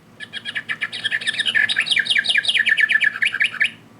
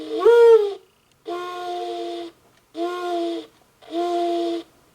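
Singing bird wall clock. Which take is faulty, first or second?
first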